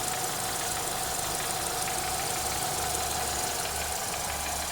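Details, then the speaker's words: Renault Megane 3 with a K4M engine, hot idle after an oil change to ZIC X9 5W40: a loose, uneven tapping knock plus a chirping, present only when warm and quiet when cold. Cause unknown. "И какой-то стук на горячую после замены масла. И перестук какой-то. Трындец, какие-то звуки появились вообще."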